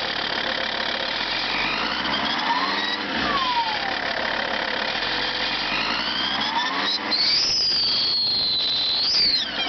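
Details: Lancia Thesis 2.4 JTD diesel at cold start: high whistling squeal sweeping up and down in pitch over the engine; owner seeks a remote diagnosis, cause unknown.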